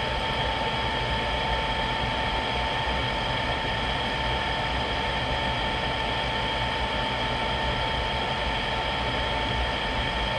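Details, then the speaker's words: Rheem-made GE power vent water heater, new replacement vent blower assembly after old motor's bearing noise grew: even mid-pitched whir, no rattles, scraping or wavering, sounding good the whole run, problem solved; normal blower operation. "so that sounded good the whole time it was running this definitely solved my problem"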